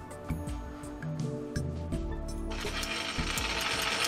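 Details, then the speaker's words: Eureka form relief tool on a lathe, making gear cutters: sharp metallic clicks in uneven pairs over a faint motor hum. The eccentric-driven pawl indexes, then the stop pawl drops in to prevent reversing, working normally. "you can see this Paul down here that one is stopping it from reversing the efforts to put in the position to hear the to play it first click this thing pushing one second click this one the bottom one fits in"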